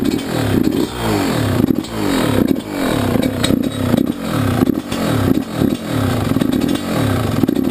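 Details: YZ125 two-stroke, either the 2001 at its first start after a rebuild with a new Wiseco piston or the freshly rebuilt 1999: crisp, ringing revs climbing and dropping cleanly about every second, no rattle or bog; healthy.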